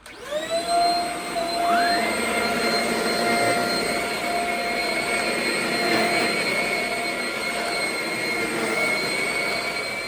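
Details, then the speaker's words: Shark Rocket stick vacuum after service and cleaning: steady, even high motor whine with a smooth airflow rush and no surging or rattles; now breathing better, issue fixed, running normally. "can hear that it's breathing better, so that about does it. Seems to have fixed the issue."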